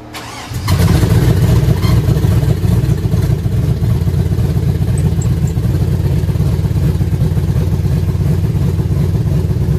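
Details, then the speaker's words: 1966 Chevrolet C10 with LS swap, Craigslist mystery cam refitted in place of the stock cam, untuned: catches after a short crank and settles into a deep, loping, steady idle with a choppy cam beat; runs better than with the stock cam. "that sounds pretty good I can't believe it this is actually a huge diff from that stock cam it sounds way better it seems to be even running better"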